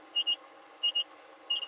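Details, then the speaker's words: JCB Fastrac tractor cab rolling a field, high thin double beeps about every two-thirds of a second over faint cab hum, sounding at field ends; cab warning alarm, cause unknown. "Why is it beeping at me? Just press escape. Can you guys hear the beeping when I get to the end of the field, or just me?"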